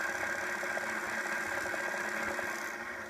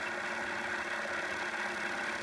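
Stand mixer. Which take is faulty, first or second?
first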